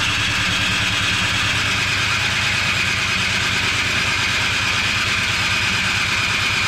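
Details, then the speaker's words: Cub Cadet 1X snow blower, electric start, stored March to December without draining fuel: steady cranking about three beats a second, never fires; owner suspects stale bad-smelling gas, then changes gas and cleans carburetor. "probably gonna have to change the gas in fact I think I'm just going to try to change the gas now it does smell kind of bad"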